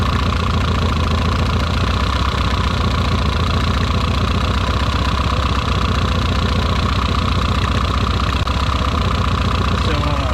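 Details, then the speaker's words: Nissan 240SX with new plug wires and starter, started on ether after coming partly disassembled: lumpy, off-beat idle with a steady misfire that doesn't change; cause unknown, compression test next. "The downside is that here's the messed up part. It's got a mist, and the mist doesn't really change."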